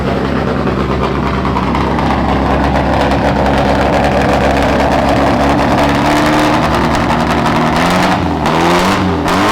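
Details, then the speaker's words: Volkswagen–BMW engine swap, first start-up, smoking: loud, uneven, lumpy running with a ragged beat that steadies slightly as it burns off a lot of oil in the cylinders. Rough running from oil. "Yeah, I mean there was a lot of oil in those cylinders. It sometimes takes a while to get it out."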